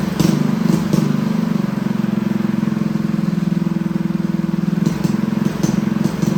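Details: Freshly built Honda GX200 clone single-cylinder go-kart engine, choke on: putter at fast idle with uneven pulses and slight speed hunting; lean from a clogged carb jet, owner will step up the jet for smoother running.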